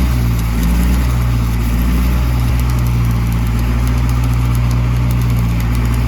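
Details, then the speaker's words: Old gas-powered Hobart engine-driven welder: steady low drone at constant speed with faint welding crackle on top, no misses or knocks. Healthy engine pulling load. "We've got fuel pressure, it sounds like. Give it a little bit of fuel. Look at that. Like I said, it runs good."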